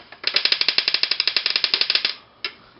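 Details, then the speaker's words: Small phone vibrator motor on an electronics learning board, 5 V, transistor-driven with adjustable delay: rapid even buzzy rattle about ten pulses per second for two seconds, then one short burst; normal running. "So, now what I can do is I can take a motor and I can place it in the two pin terminal block here. Uh 5 volts and DRV for drive. What comes with the board is a little phone vibrator motor."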